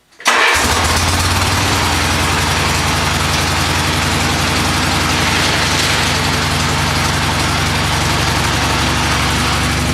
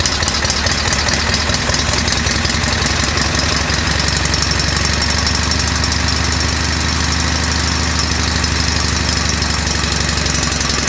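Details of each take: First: Mule after Peerless 930 transaxle repair for grinding in all gears including reverse: engine settles into a steady, even idle with no driveline grinding or whine; quiet and working. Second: MULE utility vehicle with Peerless 930 transaxle, grinding in all gears including reverse after hard off-road use; harsh gritty grinding in fast rough rhythm over engine drone. Transaxle gear grinding.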